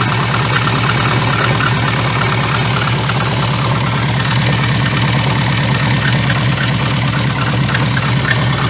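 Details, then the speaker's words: VAZ 2114 engine: rough, regular clatter about three times a second at idle, appearing as vibration when lifting off the throttle after revving to 2,000-3,000 rpm; caused by a cracked, wobbling crankshaft damper pulley that needs replacing. "когда вот я допустим газую до 2 до 3 тысяч оборотов и сбрасываю и вот в момент когда сбрасываешь газ начинается эта вибрация"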